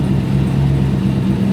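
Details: Trans Am WS6 turbo after fixing overheating caused by radiator fans blowing the wrong way: steady, even idle with no knocks, ticks or hunting. Healthy, though the warped low-speed fan makes a noise when it shuts off.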